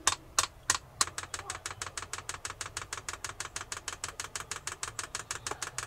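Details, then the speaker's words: Cheap Chinese diesel parking heater newly installed in a Land Rover living area: sharp, even fuel-pump ticks about three per second over a soft low hum; the heater is lit, blowing warm air and running normally. "check it out guys it's working man get some warm air can you feel that it's good huh"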